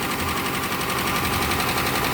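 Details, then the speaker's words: Police Dodge Charger HEMI V8 at idle, after fitting new updated lifters: fast, light ticking at start-up that fades as the lifters fill with oil, expected gone within about five minutes. "That's how it sound when it came in, but guess what? Hear that? It's going away. You know why? Cuz it has the new updated lifters in it."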